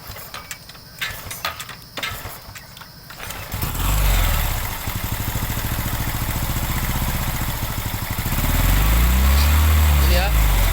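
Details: Honda Revo Absolute/Revo Fit injection motorcycle engine after rebuild with crankcase replaced: starter whirs, engine catches and settles into steady even idle with slight rev lift, run with cover open to check oil rises; healthy.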